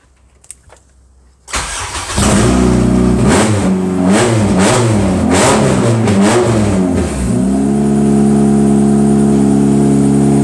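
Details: JDM 1996 Honda CR-V RD1 AWD with K24A3 swap, Kpro after TPS calibration, no exhaust, fresh gearbox fluid; loud open-pipe start then sharp clean blips rising and falling crisply before steady idle; throttle body works, normal start and free rev.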